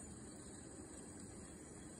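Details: Windows PC editing video in the Photos app with CPU around 90–100% and memory and disk heavily loaded: steady thin high-pitched whine over soft fan rush; abnormal noise, cause not found.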